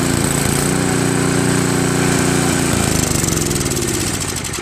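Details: Craftsman 522 snowblower with Tecumseh engine, sat for years: engine chugs steadily, then its beat drops and falters. It stays running only on heavy choke, stalling with choke at middle, best at 3/4; dirty carburetor.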